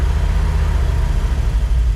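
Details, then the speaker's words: 1973 Dodge W200 truck, reportedly new engine, warming up after new gas tank, oil gauge showing 100 psi or more (accuracy doubted), fluids unchecked; deep even rumble, nearly dies then recovers; normal warm-up idle. "trying to build up a little bit of heat in it still need to check the fluids and she's gonna die she picked herself back up"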